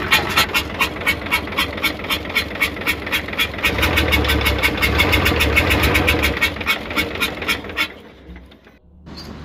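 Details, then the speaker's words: Hino Euro diesel truck at idle, misfiring and smoking: sharp regular chuffing about four per second, 'chhup-chhup' sound persists. "आवाज अभी भी आ रही है और छुप-छुप कि आवाज आ रही है जैसे सीटों की आवाज होती है"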